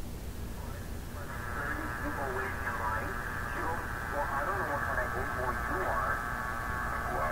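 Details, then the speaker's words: Philco 91A-221 tube radio with an IF transformer coil removed: still receives a station but thin, noisy, crackly with rough hum underneath; weak distorted audio, cause unclear. "so this is what's really fooled me on this radio I switched it on I heard it working it's working poorly"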